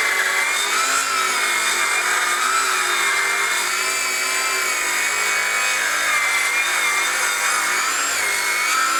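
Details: Craftsman V20 brushless 7-1/4" circular saw CMCS550B, another full-depth cut in treated lumber, battery warm at 2 bars: steady high cutting whine sagging slightly late in the cut as the dust port clogs and bogs the saw; blade heating.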